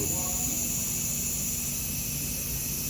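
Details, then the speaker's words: Brand-new narrow-gauge KTR 450 at factory inspection, air pressure built up: loud, steady hiss; air leaking at a solenoid that was not even tight and moved, to be tightened. "I hear it. Sounds like it's coming from one of these solenoids. Let's see. That one's not even tight. That could be our whole problem."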